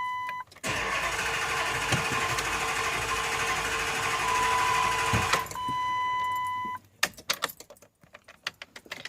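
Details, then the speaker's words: 2005 Dodge Durango Hemi V8 that only sometimes starts, with warning messages on the dash: even cranking at about four beats a second for five seconds under a steady chime, never catching; cranks, no start. "this is my o5 Dodge Durango not sure what's going on with it but it sounds like it wants to start so we'll see"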